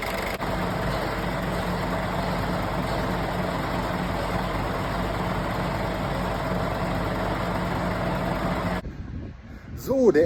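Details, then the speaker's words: Scania truck diesel idling: steady thin high-pitched squeal over the rumble from a slipping drive belt; the belt tensioner had failed and the belt was badly shredded — belt squeal from failed belt tensioner. "Jo, moin Leute, mein Scania macht heute ganz üble Geräusche, der schreit richtig."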